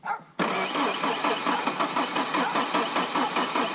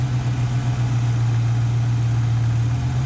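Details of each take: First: Ford Ranger 2.3 litre with a 2.5 litre cylinder head swap, first start attempt with sensors checked and very little gas in the tank. The starter spins steadily about two or three turns a second but never catches. Crank no-start, suspected low fuel. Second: Ford Ranger 2.3L with a 2.5L cylinder head fitted, idle at about 800 rpm: even low hum at steady idle with no misses or surging; normal idle.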